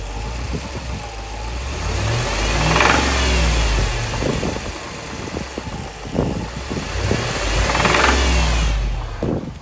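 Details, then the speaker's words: 2007 Jeep SRT8 6.1L V8, warmed up, oil level checked good, with a gauge menu reading of 99 psi the owner thinks is wrong. Sharp knocks come in only on throttle as it revs, and it idles fine; cause unknown. "and it only knocks when i step on the gas it's idling fine right now"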